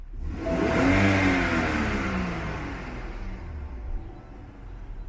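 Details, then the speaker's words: BMW N55 engine revved: a thin whistle climbs and falls with engine speed as crankcase pressure escapes past faulty crankshaft seals (known manufacturing error, SI B11 03 11). Often worse at operating temperature; replacing both front and rear seals recommended. "the reason why this thing is making noise it's the crankcase it's dissipating the crankcase pressure and it's it's leaking out through the seals go to the front crankshaft seal or the rear crankshaft seal"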